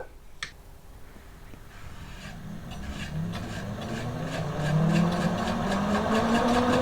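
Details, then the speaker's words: Homemade electric kart on a 24V 300W 2750 rpm brushed motor, about 15 mph top speed, test run after centring wheels on new spacers: faint rasping hum climbing with speed and a building rhythmic shake from runout of poor-quality wheel rims. "yeah so I can see the Sun run out on the tire itself on the outer part of the wheel so it's just down to the quality of the wheels really but it definitely run a lot faster there before it start to shake"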